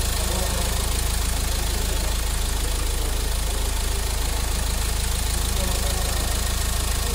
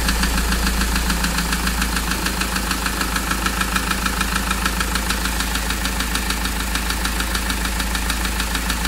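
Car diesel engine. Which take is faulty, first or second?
second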